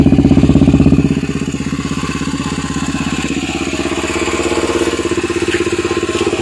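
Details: Yamaha TT-R250 with no charging and no start: rapid, even chuffing cranking pulses that fade after the first second and never catch; turns over but won't start, cause not confirmed.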